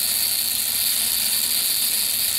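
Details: Buzz coil jumpered directly to a battery on the bench, before points adjustment for proper current draw: a steady, high, thin buzz with no low end and an even pitch. The coil vibrates, but the points are not yet set.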